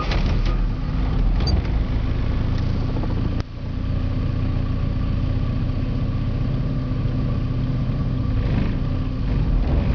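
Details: Porsche 951: steady low idle that lopes and stumbles unevenly instead of running smooth; a rough idle, cause undetermined.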